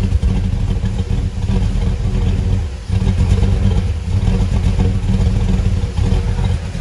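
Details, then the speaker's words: Cammed V8 single-cab truck at idle, intake just refitted, check engine light on, idle jumping up and down; uneven loping, stumbling idle that sounds like it is struggling, cause not pinned down; rough idle. "uh it actually ran decent uh and yeah so now you can actually hear it struggling"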